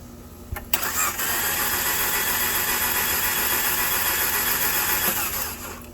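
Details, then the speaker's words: 2013 Dodge Dart 1.4L with a replacement engine (86k miles) cranked about 20 times with the gas pedal held down. Compression gauge reads 100 psi. The starter churns steadily at about four turns a second, but the engine never catches. "And they say to push the gas pedal down when you're cranking it too, so we'll go ahead and crank it. So now it's not climbing again."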